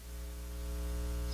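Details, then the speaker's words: Hammarlund SP-600 communications receiver heard through headphones. A steady low mains-type hum with a buzzy edge sits under everything; with the speaker plugged in it hums even more. The receiver's audio output has an excessive hum. "So, a hum noise there. This is coming out of the headphones and the other one's not plugged in because soon as I plug it in, it hums too much."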